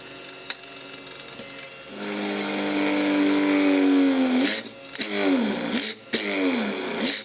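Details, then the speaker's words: Innocraftsman mini drill press drilling metal: motor hum drops in pitch as the bit bites, then cuts out briefly and restarts several times; the motor overheated/overloaded again. "And there it overheated again or overloaded again."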